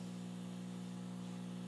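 Constant low electrical hum with a buzzy overtone that never changes in level; a ground loop between the mixer and speaker.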